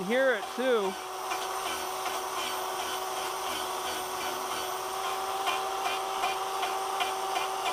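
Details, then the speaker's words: Electric chainsaw conversion wood-carving power gouge cutting wood: steady motor whine with rough rasping cut noise; blades getting duller, dragging more and louder. "The tool itself, the blades, the blades are getting duller. They're getting louder. As they get duller, they're going to make more noise because it's more surface area dragging on the wood."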